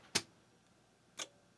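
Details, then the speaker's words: Sun SPARCstation IPC power supply switched on: two sharp clicks a second apart, then near silence, fan not spinning; no output on 5 V or 12 V rails, supply dead, rust seen. "so this clicks but the fan is not spinning so let's take a look at the power coming out of it"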